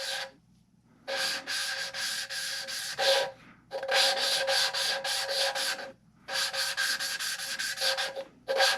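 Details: Valve lapping during head rebuild for a V10 swap into a 1981 Dodge Ram: gritty rasping in bursts of back-and-forth strokes with pauses; compound still cutting, valve not yet seated until grinding goes silent.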